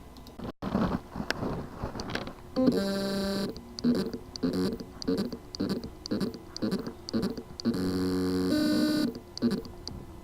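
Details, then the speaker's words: WD My Passport WD20NMVW 2 TB USB drive, PCB 2060-771961-001 Rev A: repeated short buzzing chirps and brief whirring, motor spins but cannot reach full speed due to loose motor contacts; fix is resolder/replace contacts or replace PCB. "Motor contacts loose problem. Symptom: the motor can spin but cannot reach its full speed. Cause: loose motor contacts."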